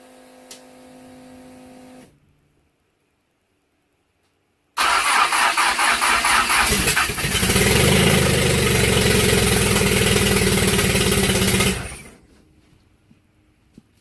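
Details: Pontiac Fiero with a new 3400 engine, turbo and Comp cam that had been shooting flames out of the intake: after a pause it cranks, catches and revs hard and unevenly for about seven seconds, then shuts off; rough running, cause suspected.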